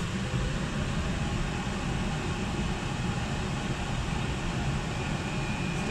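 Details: Oil-fired whole-house furnace (275-gallon tank) after primary oil filter change and air readjustment: steady, even roar with low rumble, no pulsing or sputtering; burner staying on longer than before, firing smoothly — normal operation.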